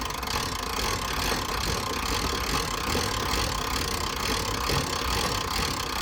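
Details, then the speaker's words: 1980s Jayco pop-top camper roof being wound up with the winder: quick, somewhat uneven ratchet clicks, two or three a second. Normal; it clicks only when raising, not lowering. "so you can hear the clicking that means it's going up it doesn't click when it's coming down"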